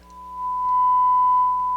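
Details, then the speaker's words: Harman Kardon 330B stereo receiver after restoration, 1000 Hz test tone on auxiliary input at full volume: steady pure tone with no hum, hiss or crackle; clean, quiet, healthy amplifier output. "nice and clean shut that off full blast nice and quiet"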